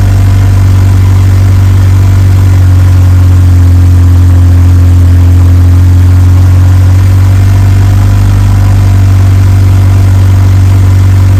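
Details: Evo 8 4G engine in an Evo 6 after fitting a lifter to remove play, cold start then warmed up: steady even low idle, constant hum, no ticking or knocking; sounds like a normal 4G.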